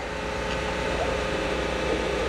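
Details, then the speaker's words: Engine running idle with unexplained mid-pitched whine over the drone that changes with RPM; not the A/C compressor, source unknown, possibly an accessory or the transmission. "because that noise, it changed with RPM. Could be an accessory, I don't know though. That could be in the transmission or something."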